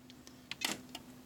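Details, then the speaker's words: DZ1000 switch machine on an STM2, fired from a Legacy Cab 2 remote: faint steady low growl/hum under light clicks, motor buzzes without completing its throw, no sense return in the out position; stalled. "When using my legacy Cab 2 remote, you can hear the growl."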